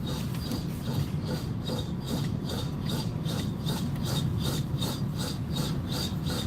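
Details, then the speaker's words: Car that recently had new brake pads, while driving: rhythmic scraping rub about two strokes a second with each wheel turn, suddenly much louder; owner suspects brake wear warning or pads, cause not confirmed. "It's like, what the hell is rubbing there? Now we got another damn problem. Now we're going to have to check that out."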